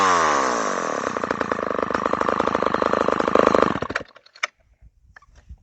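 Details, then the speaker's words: Homelite XL-12 chainsaw, started after sitting about 10 years, tuned up. It revs up crisp and steady, buzzing evenly, then drops cleanly back to a settled idle. Idle and throttle response are good, and high speed seems set close to right. "it sounds like it's running great too tuned up uh idle it's good good throttle response"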